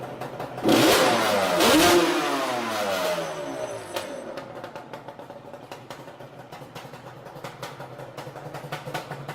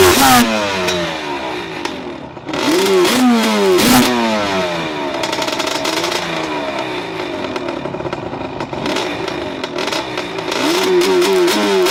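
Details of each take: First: 2005 Yamaha Banshee two-stroke quad that misfires once warming to operating temperature: sharp blips rising cleanly and dropping to a crackly, uneven cold idle, throttle response crisp; spark plug was not the cause. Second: 2005 Yamaha Banshee two-stroke quad: engine revs unevenly, stumbling and breaking up, misfiring only once warmed to operating temperature; owner suspects an electrical rather than mechanical cause.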